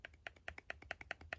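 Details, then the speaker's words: Shimano Curado DC baitcaster, cast control knob backed off too far: light sharp ticks about five a second with softer clicks as the spool rattles along its axis; fix is tightening until knocking just stops. "You can hear that knock. So it's loosened up way too much right now. I want to tighten it up."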